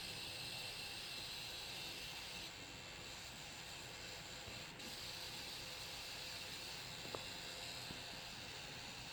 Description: This noise only occurs on 850W PSU when graphics card is under load during gaming (GTX 1080 - Reference card)